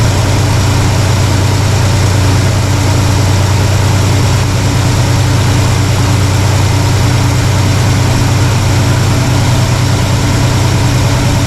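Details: Warmed-up carbureted V8 (1968 Pontiac LeMans or Chevy C10 being tuned), vacuum gauge showing slightly low vacuum but still in the green, no leaks seen: deep, steady rumble with an even beat and no misses or stumbles. Healthy idle.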